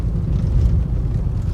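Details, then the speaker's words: Nissan Leaf on a rough road after swapping the new KYB front strut mounts back to the original mounts. Only soft tyre rumble is heard, with no knocks, pointing to the mounts as the source of the suspension knocking. "Тиша в салоні. Боже, як класне. Резиновий просто звук такий шин і тупо як м'ячик катиться без всяких стуків."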